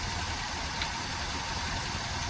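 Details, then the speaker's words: 2013 Maruti WagonR, K-series engine, hunting at idle with vibration, low pickup and mileage, no check light: steady but lumpy idle with uneven throb; coil swap test shows cylinder 2 ignition coil dead, causing misfire. "तो यह जो दो number की coil है, यह coil दोस्तों dead है, खराब है।"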